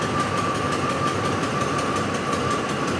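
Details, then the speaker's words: 2004 Ford F-150 5.4L that stalls when hot, fuel pump and rail pressure sensor already replaced, rail pressure 109: weak, uneven idle, about to die, running lean; fuel pump driver module not grounding the pump suspected; rough idle from fuel starvation. "fuel rail pressure is at 109 and it's dying right now barely running so there's our fuel rail pressure sensor fault"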